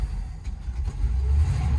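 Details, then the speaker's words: 1957 Chevy Bel Air V8, first start in 15+ years after new plugs, battery and fresh gas, fuel lines emptied and refilling: rumble surges and sags unevenly instead of settling; running rough, owner suspects the carburetor, may fit a new 2-barrel. "It starts. It's just running rough. Plus I got all the gas out of the lines, right? So had to get it back going through it. She's running rough."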